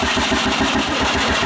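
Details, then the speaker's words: Quad engine rebuilt with a 3D-printed carbon fiber piston, plug showing no plastic, being hit with starting spray: choppy uneven popping at a fast beat, barely holding on and getting worse; owner suspects it is running lean. "hit her with the spray again M it has definitely you know gotten worse it seems not a great time"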